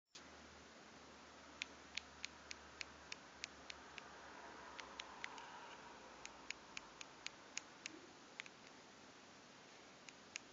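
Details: Samsung Galaxy Note home button making sharp, light, crisp clicks in quick runs, even when pressed lightly without activating it.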